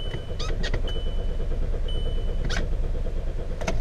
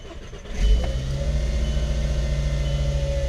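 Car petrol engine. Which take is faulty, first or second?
first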